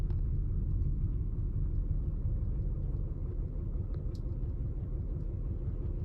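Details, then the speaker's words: 1999 Lexus RX300 V6, about 310,000 miles, idling in gear: a deep, lumpy, struggling rumble from a cylinder 6 misfire, worse in drive or reverse; owner suspects a bad ignition coil since plugs were replaced 9,000 miles ago. "it's not moving very much but the engine doesn't doesn't sound very good see it's struggling"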